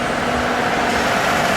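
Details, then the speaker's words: Toyota Aurion petrol V6 at idle after treating an oil light and engine buzzing, blamed on short-trip sludge via the PCV. The buzzing is gone and the idle is a steady even hum with a faint whirr, possibly slight water pump noise. "Horrible noise is gone. It sounds actually like it might have a bit of water pump noise there, but yeah. That'll be fine, I think."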